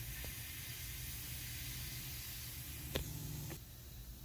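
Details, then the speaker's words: Tire with a sidewall cut repaired using 3M PR1500 plastic and rubber adhesive, checked with soapy water: a faint, steady hiss from a small air leak at the end of the cut, apparently where not enough glue went in. "looks like i've got one little tiny spot here that's leaking that sucks"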